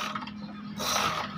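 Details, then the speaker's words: GL Max Neotech motorcycle: starter whirs freely at steady pitch with no compression beats, and the engine won't turn. Likely the cam chain has come off or jumped, typically caused by a damaged cam chain tensioner. "ada bunyi mesin starter saja ini seperti ini jadi Ini kemungkinan rantai kecilnya terlepas"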